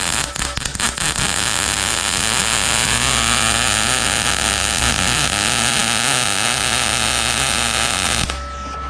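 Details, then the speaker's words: Arccaptain MIG 200 welder: irregular, spattery crackle and popping instead of a steady frying sizzle; travel a little too fast, nozzle too far away (should be about quarter to half inch), wire stickout too long, audible in the sound. "A little too fast here. And it was too far away. Wire stick out a little too long. >> Yep. And you can usually hear the wire stick out of it."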